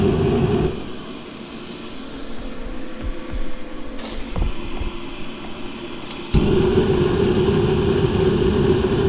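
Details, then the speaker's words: Masterforce 20V 60,000 BTU portable propane forced-air heater in a 43.5°F garage, started on high: fan and clicking for several seconds before the burner roars alight; delayed ignition, owner thinks not enough fuel reaches the burner yet. "see sometimes you have to hold it for a couple seconds you don't have the probe it's not getting enough fuel to the burner usually it doesn't take that long"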